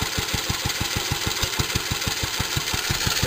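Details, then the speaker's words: Restored JAP Model 5 stationary engine, cold start after a few weeks unused, on heavy choke: it fires on the first pull and runs with steady, even beats, no misses or knocks. "So as you can see, needs a lot of choke to start. Fired first pull is always a good sign. Sometimes start first pull as well. Just warming up a little."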